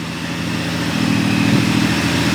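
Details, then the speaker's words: 1997 Honda Valkyrie, first run after sitting 10 years, exhaust smoking, possibly from debris in the exhaust: steady, even idle with a smooth low burble and no misses or knocks; normal idle. "But, I mean, this thing sounds like it runs very happily."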